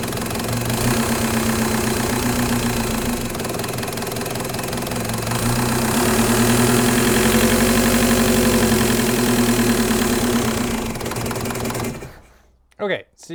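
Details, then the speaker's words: Mk1 VW with M-TDI swap and Bosch VE pump, fuel screw run far in to idle: diesel clatter holds high and won't settle, revs hanging uncontrolled before shutting off, with the collar over the spill ports; rev hang from wrong throttle lever position. "as soon as you do hit the gas, the collar is so far over the spill ports that you end up basically just going into weird rev hanging that you can't actually control."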